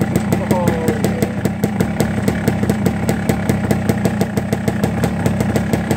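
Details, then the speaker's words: 1989 Yamaha Blaster two-stroke quad, first kick, no choke, 25°F, warming up: uneven, lumpy popping idle that keeps sagging as if about to die; idle may need raising, possibly low on gas; jetting and TORS suspected. "Started up, first kick, no choke, 25 degrees outside, sounds like it's about to die. Idle probably needs to be turned up a little bit now that it's warming up."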